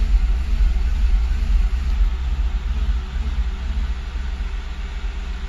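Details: Engine at idle with fluctuations starting at 0:36: deep, low rumble whose loudness surges and sags about twice a second; rough, hunting idle with fluctuating engine speed.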